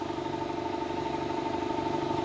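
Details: 200 L, 3 hp single-phase air compressor after service and replacement of a worn, slipping belt: steady pumping pulse of about eight beats a second under an even hum, building pressure with no squeal or knock. Normal running.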